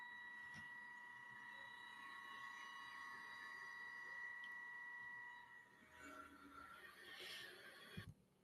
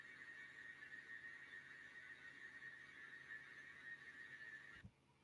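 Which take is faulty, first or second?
first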